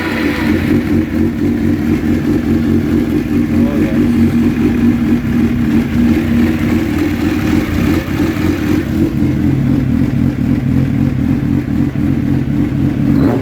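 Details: Suzuki GSX-R750 SRAD motorcycle, no-start after sitting since September, now fixed; fuel pump primes quieter: fires and holds a strong, even run with clean throttle blips and steady pulses; normal start and revving.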